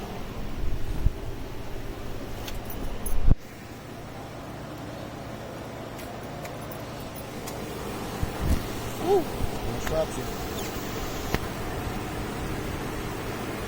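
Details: Suzuki Marauder VZ800 V-twin after stator and rectifier replacement, restarted to check battery charging: a low, steady, even idle hum settles in after a start and holds without misses; sounds healthy.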